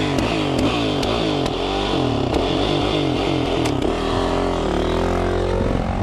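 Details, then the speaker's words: Dirt bike being ridden (2016 Yamaha YZ450FX or 2017 Kawasaki Z125): engine drones under throttle with sharp irregular pops about every half second, backfiring; rider suspects gunked-up carb, cause unconfirmed. "is this bike like backfire what bad thing bad thing is nothing is re-fixed listen to it man nothing's running rough"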